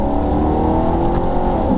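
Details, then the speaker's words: £6,000 Maserati Quattroporte on a derestricted autobahn, second gear, full throttle to 5,000 rpm, paddle upshift: hard, steady pull and a quick, clean gear change with no flare or slip; shifts are fast when floored. "if I do that again back into second and I floor it up to five th000 RPM hold the throttle all the way down it will shift"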